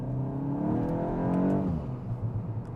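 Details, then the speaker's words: MK8 VW GTI with AWE Touring exhaust and aftermarket intake, pulling away from a light at about 3,000 rpm: deep note climbing with revs, intake sound audible, then a few soft burbles on lift-off; louder than stock, healthy. "yeah, you get a nice sound. You still hear the intake sound with our intake set up on the car, and then you get a couple burbles out the back that you pick up on."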